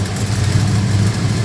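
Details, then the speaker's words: Holden HQ with a small-block Chevy V8 and Holley carburetor, started cold and running rich, mic in the engine bay: a rough, lumpy idle at steady revs with an uneven beat and the engine bouncing; misfire from fouled plugs and an over-rich carburettor. "I don't know if you can hear that that's a uh a very bad misfire I moved to the engine bay hopefully we can keep it going all right so you can see on a constant rip we've got that misfire see the engine bouncing quite quite"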